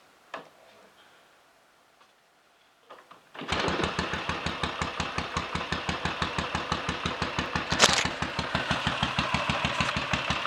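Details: Royal Enfield 500 single (Asbo 34) after rebuild and adjustments (ported head, barrel shortened 2 mm, Hitchcock's 9:1 piston, strobe-set timing): silence, fires on the kick and settles into an even slow thump; clean start and healthy idle, not yet road tested.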